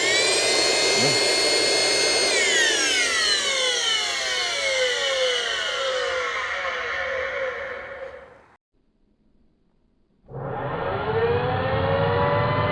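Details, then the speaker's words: Dyson DC25 upright vacuum found on the curb, caked in heavy dirt that went through the motor: high whine with a rough rattling grind that drops in pitch as it coasts down, then restarts; motor bearings completely worn out from long use. "oh isn't that glorious so they ran this thing until the bearings completely utterly shot I mean nothing left of the bearings"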